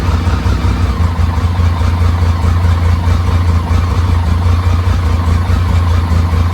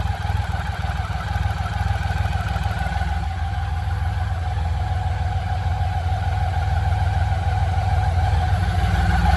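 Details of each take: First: BMW K75, after restoration: low, uneven idle loping irregularly about a beat and a half per second; a vacuum leak at the intake manifold rubber lets in unmetered air and makes it stumble. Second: BMW K75 motorcycle after restoration and fixing intake manifold vacuum leaks behind starts-then-dies and rough idle: smooth, even idle with steady low beat holding pace throughout; engine healthy and settled.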